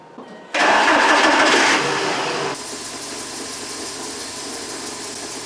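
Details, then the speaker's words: MK4 VW Beetle after replacing a cracked ignition coil that caused misfires and cylinder misfire codes: engine catches, flares briefly, then settles into a smooth, even idle with no stumble; normal idle. "Looks like it's running. Now it's working really well."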